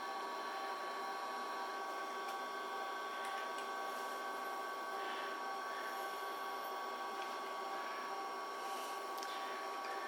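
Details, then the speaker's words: IBM PS/2 P70 (8573) powered up with the original reference disk in the floppy drive: quiet steady hard-drive whine with scattered light seek clicks and chatter; normal boot. "So we're going to put this in the floppy drive, and we're going to power up the computer. And you can hear all the glorious noises of the hard drive and everything else."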